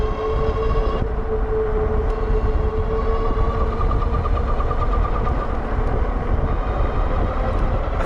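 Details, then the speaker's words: Wallke H7 AWD e-bike (48V 40Ah, 1000W rear and 750W front geared hub motors), full throttle only, about 30–32 climbing a hill: steady mid-pitched whine over wind and tire noise, likely from the front hub motor; cause unknown. "like that motor makes that noise as well and then I let off the throttle hit it again there 32 going down a slight uh decline there 31 going back uphill and that motor is making that noise again not sure why it does that"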